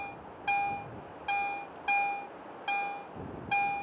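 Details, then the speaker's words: Garrett AT Pro metal detector, two adjacent coins in standard mode: five sharp single beeps about a second apart, each pass giving one strong tone, merging the two targets that Pro mode would separate into two peaks. "so listen to these adjacent coins in Pro mode you can clearly hear two separate peaks of audio response when I switch to standard mode these two Targets are often heard as only one strong Target"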